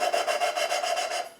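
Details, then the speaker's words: V8 cylinder head valve being hand-lapped with fine cutting compound, no oil on the stem or guide: a dry, gritty rasp pulses with each back-and-forth twist, then goes quieter as the grinding paste cuts the valve into its seat. "lift and separate and you'll hear the the noise the grinding it starts to go quiet now"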